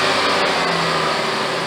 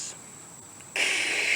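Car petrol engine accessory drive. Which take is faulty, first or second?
second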